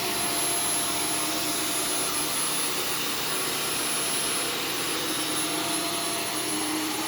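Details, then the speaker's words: Arm & Hammer vacuum booster powder vacuumed on carpet mode: steady airy roar with a thin strained whistle and no pitch recovery; the vacuum chokes as the filter clogs with powder, and some powder reached the motor. "foreign [Music] it sounds like it's choking what it sounds like it's choking probably because it is"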